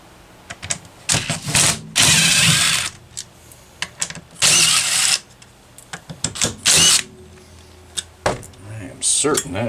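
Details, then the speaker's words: Homelite XL-123 chainsaw, unused about six years, carb cleaned: bursts to full revs for a second or two then drops out and picks up again, cutting in and out; intermittent misfire, ignition problem suspected (switch or something else), not confirmed. "well that's ignition there is no question in my mind that that is an ignition problem so whether it's that switch or something else i don't know"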